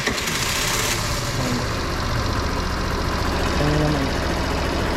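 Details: Suzuki Burgman Street 125 that would not start without throttle, after tapping and adjusting the part removed from behind the panel; catches immediately without throttle and settles into a steady, even idle, starting normally.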